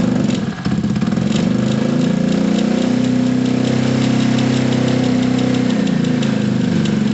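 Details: Gilera DNA 125 with fuel, spark and a damaged exhaust: low, lumpy idle with uneven firing that won't take any revs; cause not confirmed; rear brake rattle from a loose pad also noted.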